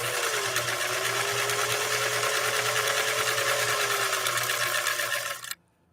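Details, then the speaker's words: Sewing machine sewing stitch 3 on cam B after servicing: quick, even stitching clatter about three per second with a light hum, no knocks or grinding; runs silky smooth. "listen to this machine run I'm going to be very quiet listen to this machine run silky silky smooth"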